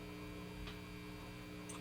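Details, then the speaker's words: Kendrick JoyZee tube guitar amp: steady low mains hum with faint buzz that gets worse from a yellow signal wire routed right next to the filament pin. "See, it gets worse. It's because it's right next to it."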